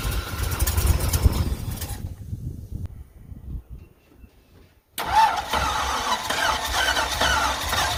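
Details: 1963 Ford F100 Y-block V8 first start after installing a Holley 2300 carburetor (0-4412s) replacing leaking carb: noise, then catches at once and settles into rough, throaty idle; starts up fine.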